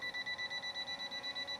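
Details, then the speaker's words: S1S Max drone flying outdoors in light wind: fast, even high-pitched beeping from obstacle avoidance warning that it is too close to the pilot. "now she's saying she's too close to me that's why you hear that beat"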